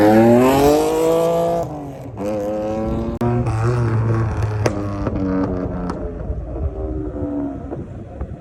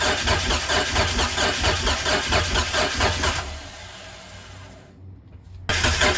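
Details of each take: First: Mitsubishi 3000GT after a chassis swap (engine, transmission and gas tank moved over), running once the tank's hard line was cut and the rubber fuel line reused: revs and settles with an even tone through throttle blips, no misfire, then shuts off. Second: Mitsubishi 3000GT not started in 5+ years (fuel tank, pump or fuel suspected bad), cranked on starter fluid: starter turns about two pulses a second but it never fires. A compression test afterwards showed most cylinders at a subpar 180, one at 195.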